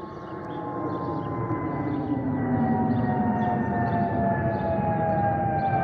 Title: Delta Airlines Airbus A319-114 N330NB DL720 SYR-DTW (FOPP whistling sound)